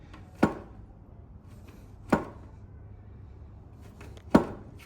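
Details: Harley-Davidson Roadster over bumps: three sharp hollow metal clunks about two seconds apart; suspected suspension or loose brake caliper, but it was the fuel tank knocking against the frame for lack of rubber isolators.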